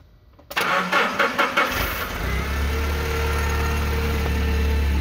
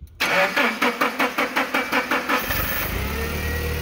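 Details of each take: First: Nissan forklift with E27/P0335 crankshaft position sensor code, extended crank and intermittent no-start, after fitting a new crank sensor: a few quick cranking pulses, then it catches within about a second and settles to a steady, even idle; normal start. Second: Nissan forklift with code E27/P0335 crank sensor circuit, cam and crank sensors previously replaced, intermittent start: starter churns about five even beats a second for over two seconds before catching; extended crank from faulty crankshaft position sensor signal.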